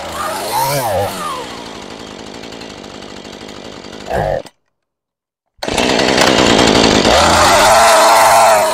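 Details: Husqvarna 435 chainsaw after fitting a new clutch to stop the chain spinning at idle, choke and chain brake on: rising pull-start bursts, then catches and settles into a steady, even buzz; normal idle.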